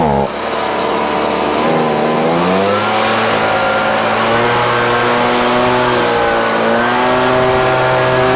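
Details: Husqvarna 125BV leaf blower after clearing a blocked fuel passage in the carb and fitting a new filter. The small two-stroke revs up and settles into a steady, clean buzz that follows the throttle smoothly: normal running.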